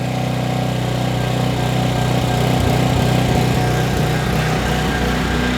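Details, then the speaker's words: Trash-picked 2005 Craftsman 5600 W generator, 10 HP Briggs & Stratton, with a 1400 W heat gun plugged in and the choke fully off: a steady, even run with no misses after earlier sputtering; it has evened out. "That's it running with the choke completely off. Now it evened out."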